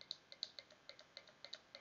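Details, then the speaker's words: VVT solenoid bench-tested with 12 V applied and grounded across its pins: crisp light clicks, about six per second, each sharp and clean as it is switched. The solenoid is opening and closing properly. "i'll try to bring it closer but you'll see it moving so that's a good sign there the solenoid is opening and closing as it should"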